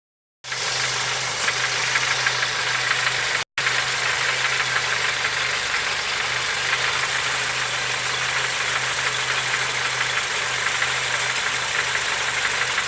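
Steady idle with a faint, rapid ticking knock layered over a constant hiss, unchanged throughout; knock present, cause unclear.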